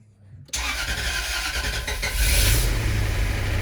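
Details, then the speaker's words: Jaguar S-Type V8, first start after a new engine with WD40 in the cylinders: brief crank, then a steady deep idle with oil pressure and heavy smoke. Normal start; drive belt not yet connected. "yes we have we have oil pressure quite a bit of smoke from everything but that makes sense"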